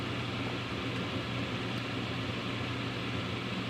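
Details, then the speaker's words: Home furnace draft inducer after replacement with a new part: a steady, even fan rush with a low hum and no rattle or scrape. It replaces the old unit's loud humming; the igniter then lights. "is the way it's supposed to sound you go back to the beginning as opposed to now you see the difference"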